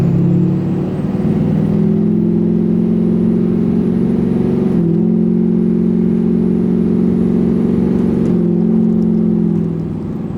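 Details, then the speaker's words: 2006 Duramax LBZ diesel with LLY compressor cover, rolling hard into the throttle: even engine drone with brief drops at each gear change as vanes open, no surging or hunting; normal turbo boost response. "So it's nice and smooth. The spikes are during the gear change."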